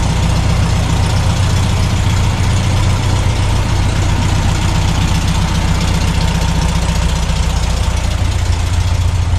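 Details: 1972 VW Super Beetle revived after about 20 years storage, carburetor cleaned: steady, even low idle with constant beat and no hunting or misses; air-cooled flat-four runs smoothly.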